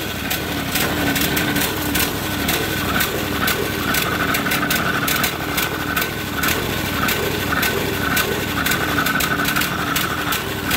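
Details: Briggs & Stratton overhead-valve engine on a 450-hour 4016 tractor; uneven choking run with irregular pops and faint high tone, won't take throttle, smoking, backfiring; air filter plugged with oil or debris starving the engine.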